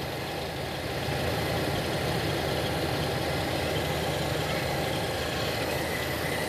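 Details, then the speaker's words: Toyota Kijang carburetted petrol engine idling in neutral after the ignition timing was adjusted. The idle is now light, steady and even with no thumping or hunting; the timing is set right. "Nah ini sudah ringan dan mesin tidak ada deg-degnya."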